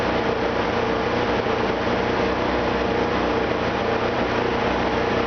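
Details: Opel with TH180 automatic, first start after a failed vacuum modulator let the engine suck in a gallon of transmission fluid; oil and filter changed, vacuum lines cleaned, new modulator: loud, slightly lumpy idle with smoke while clearing the swallowed fluid.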